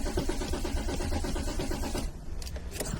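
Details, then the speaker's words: Car cranks steadily for two seconds but never catches; pressing the fuel rail port with a screwdriver gave no fuel even after cycling the ignition, so no fuel reaches the engine: crank no start from no fuel. "So that confirms me there's no fuel going to the engine hence crank no"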